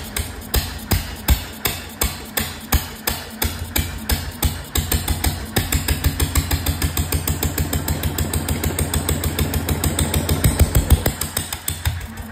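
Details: 1925 National 5V petrol/paraffin stationary engine, first start in decades: sharp, uneven open-exhaust bangs around three per second; no exhaust fitted, fuel, cooling and governor still unset.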